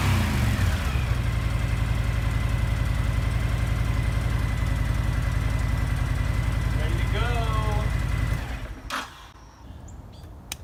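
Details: Honda VTX 1300 V-twin motorcycle after a won't-start repair: steady, even idle with a regular low thump for about eight seconds, then shuts off; runs properly again.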